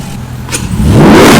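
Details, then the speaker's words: First start of SRT 6.4L Hemi V8 swapped into Jeep Wrangler JLU Rubicon, recorded indoors with echo: deep rumble climbs smoothly and strongly as throttle opens; engine revs cleanly and sounds healthy. "all right you guys we were officially ready start her up that sounds way better [Music] listen just listen to it"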